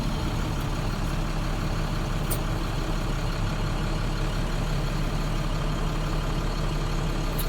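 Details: Diesel box truck during a PM check, just started, with no heat yet in the transmission or coolant: steady deep diesel clatter at an even idle, no misses or knocks, a couple of faint clicks; a healthy idle.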